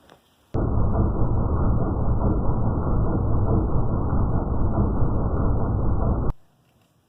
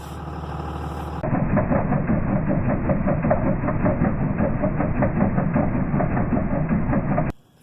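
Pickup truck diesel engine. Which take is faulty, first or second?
second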